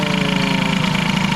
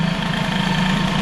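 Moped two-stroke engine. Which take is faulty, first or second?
first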